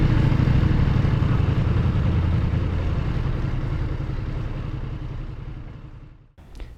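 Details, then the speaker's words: Ducati Multistrada V4S at about 16,000 miles, in neutral at a light: throttle blipped twice and idle sags and fades out instead of recovering; stall after throttle blip, later fixed by throttle body adjustment. "then i flicked it twice and on the second time it didn't return to idle it just shut the bike right off"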